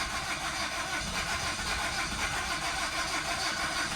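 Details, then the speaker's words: 2011 Nissan Rogue with coolant in cylinders; steady churning crank about three beats a second that never catches, failed to start after 30 minutes of trying, owner believes it needs a new motor: long crank, no start. "yes this is what the car usually does that is what the car usually does which is why I'm pretty positive it needs a new motor"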